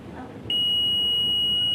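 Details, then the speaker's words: CRT TV with China kit PCB: steady high-pitched beep heard through the speaker where no beep should be, audio section shorted. "तो audio में यह beep की आवाज आ रही है आप सुन सकते हैं बी की आवाज इस ऑयो में बी की आवाज नहीं आनी"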